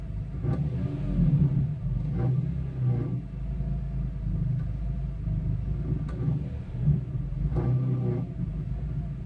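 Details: 2002 BMW E46 M3 engine rumble with short rattling bursts as revs rise and fall, worst on cold start and after lifting off; catalytic converter element broken free in an original header, vibrating at low exhaust velocity.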